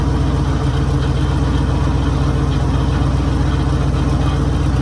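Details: 1966 Mercury Monterey big block, running on its own after a fuel leak fix: deep, even rumble holding a steady idle with no misses or knocks; normal idle.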